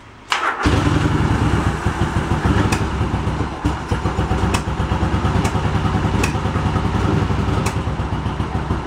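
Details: Yamaha Virago 1100 V-twin after carb rebuild and new float gaskets, fuel pump primed, started without choke: fires immediately after a short crank and settles into an even, loping twin idle with no stumbling; healthy start and idle.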